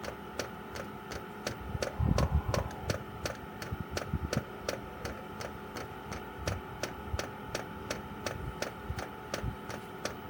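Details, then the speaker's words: Chinese 12 V diesel heater running on kerosene, outside a caravan, priming via held panel buttons: light quick ticking near three per second over a faint hum; owner thinks it's the fuel pump; normal priming. "Tapping noise, I think, is the pump."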